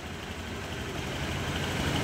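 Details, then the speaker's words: Honda Click 125 scooter that would only crank without starting, with battery at 12.5 V: after a new ignition coil is fitted, it starts on one click and idles steadily with an even low putter; the original coil had failed. "paandarin muna natin kung nagana na okay one click goods"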